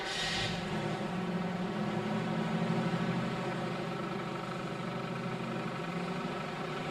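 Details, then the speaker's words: GM car in 1979 service training, started to confirm customer complaint of noise under hood: steady idle with loose, uneven rattle from under the hood; rattle at idle confirmed, probable cause not yet identified. "He soon discovers that indeed there is a definite rattle under the hood."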